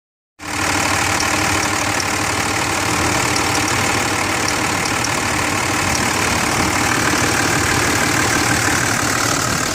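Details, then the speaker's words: 2006 Dodge Ram 2500 Cummins turbo diesel, about 155,000 miles, some oil blow-by, quieter after Hyperlube and injector cleaner: loud steady idle with fast fairly regular tick; owner unsure whether valve lash or injector. "2006 Cummins. Not sure if it's a valve latch issue, ejector, but definitely a little ticking noise here."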